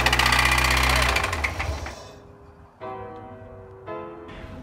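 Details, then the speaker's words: Nissan 240SX S14, first start after sitting 2 years (sold as needing only a starter), timing advanced: starts right up with a loud, fast rapping knock, nearly four beats a second, deep in the engine, dying away; worse on first start; cause unconfirmed. "But, there was a knock. Now, the knock was that was probably the second time we started it. The first time the knock was really bad."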